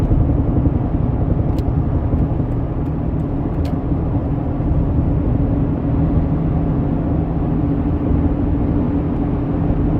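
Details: 2004 Jeep Grand Cherokee WJ 4.0, SelecTrac, 4-inch long-arm lift, driving: low road rumble with sharp clunks; caused by loose long-arm flex ends and worn driveshaft U- and CV joints.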